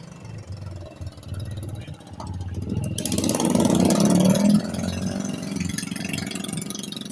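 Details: Honda Vario 125 scooter, brought in hard to start and hard to kick-start, a leaking lower valve suspected. It idles with a steady low putter and a brief throttle blip that settles smoothly: normal running.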